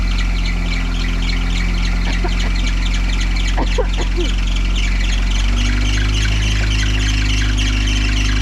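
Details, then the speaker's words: 1953 Willys CJ3B, stored for years, cranking on very dirty 2-year-old 10% ethanol fuel while the choke is found: a few sharp bird-like chirps over the low rumble; intermittent squeal of unclear source. "I don't know where the choke is right here crank it sounds like birds"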